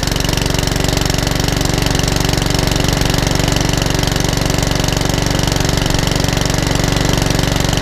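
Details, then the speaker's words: Mountfield 414 HP mower, which came in hunting and surging with a suspected carburetor issue, test-run outside after the repair; fast, even single-cylinder firing at a constant pitch with no hunting, and the owner is unsure the oil level is sufficient. "okay let's take it outside and try and fire it up right there it is they don't too bad"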